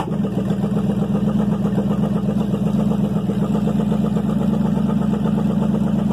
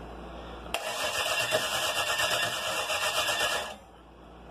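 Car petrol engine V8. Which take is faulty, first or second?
second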